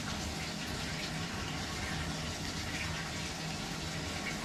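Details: Frigidaire laundry centre washer (complaint: would not start, only lid locked) on test after repair: steady, even rush of water filling the tub with no knocking, buzzing or grinding; normal fill.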